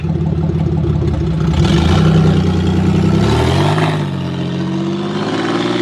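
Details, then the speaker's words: Old Chevy Impala driven down the road: engine labors unevenly under load with a lumpy stumbling beat and sagging pull; running on roughly two cylinders, cause not yet found. "Well, you can see it's not going well. So, uh so well right now because he's running off of two cylinders, but that's okay because well, I can explain it still."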